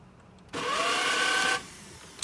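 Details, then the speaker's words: 2010 Mitsubishi Outlander 2.0 diesel manual, starter refitted after cleaning: a high whirring whine rises for about a second with no cranking or engine catch, so the starter spins without engaging. The owner suspects a failing solenoid. "Alright, the problem is the same, so it's not because it's not free or anything, it seems like solenoid is going on the way."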